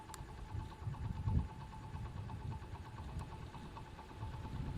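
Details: Honda Monkey Z50J after maintenance including carburetor overhaul and exhaust leak fix: small single-cylinder putters at steady idle, quick throttle blips rising and falling cleanly; runs normally.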